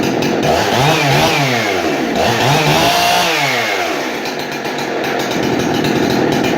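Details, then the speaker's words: Husqvarna 371XP chainsaw, a barn find just serviced with a fully adjustable Walbro carb and a dual-port muffler mod, passed pressure and vacuum tests: it revs up and down crisply with clean throttle response and a slightly burbly rich edge. It runs great. "just doing a little bit on the rich side but that's okay runs great"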